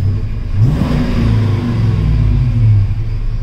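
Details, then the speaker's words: GM Gen V engine swap after a throttle body airflow reset: the engine revs with a deep rumble and returns straight to idle rather than hanging near 3000 rpm for about 10 seconds, as it did before the fix. "I am doing this right now so my field terms are just a little bit off but it sounds completely different and the other thing is if you rub it they'll rub and not hang"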